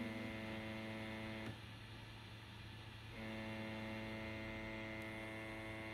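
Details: PS5 console playing Assassin's Creed Valhalla: steady low fizzy buzz that drops out about two seconds then returns; white side panels never removed vibrating against the fan, stopped by pushing panels upward at the corners.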